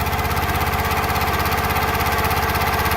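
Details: Kohler SH265 6.5HP engine on Tractor Supply CountyLine 25-ton log splitter, just started on choke after fresh AMSOIL 10W-30 synthetic oil change: even single-cylinder putter about 200 beats a minute, no knocks or misfires; normal healthy running.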